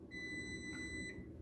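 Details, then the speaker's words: Frigidaire Gallery FGHB2866PF3 refrigerator ice maker, manual diagnostic mode entered, then plus held for a few seconds. A single steady high-pitched beep of about one second confirms the control accepted the reset. "so you press these together that's the menu that'll pop up and then press plus for a few seconds and it resets"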